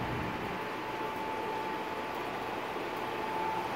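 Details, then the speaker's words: Indoor air handler of a manufactured home running with a newly started 2.5-ton Goodman GSZ13 heat pump in heating mode: steady even rush of hot air with a faint constant tone, no knocks or rattles; airflow normal. "That's blowing out some nice hot air. And I'm sure you can hear that noisy inner therm in the background."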